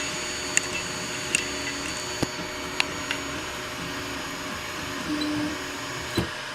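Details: Anycubic i3 Mega printing PLA: soft motor whirring broken by sharp isolated extruder clicks roughly every second as it skips; suspected slicer settings, unlevel heat bed, old PLA, or faulty extruder, not confirmed.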